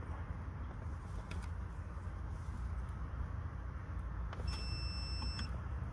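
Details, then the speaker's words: Car with ABS warning light, testing ABS wheel sensor wiring harness before replacing sensors: low hum then clean steady high continuity-tester beep on second wire; continuity good, wire not at fault. "Et là pour le deuxième fil, vous entendez bien, ça sonne, ça veut dire la connectivité elle est bonne."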